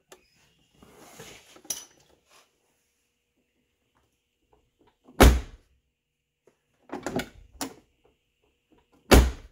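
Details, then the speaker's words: 1990–1997 Lincoln Town Car door after striker bolt bent back to its original position and retightened: several solid dull thunks with no sharp click at the latch; door now closes cleanly. "that sound so much better than that click"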